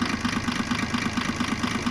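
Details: Diesel car idling with a steady, sharp injector clatter about eleven times a second over the engine hum; injector noise grew after a fuel additive was put in the tank, and injectors are to be removed.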